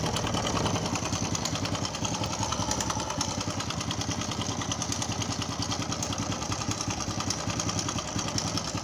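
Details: Customer's small single-cylinder motorcycle brought in for engine noise; engine oil checked and found very low. At idle a busy, loose metallic chatter rides over the beat: timing chain, valves and rockers rattling from lack of oil.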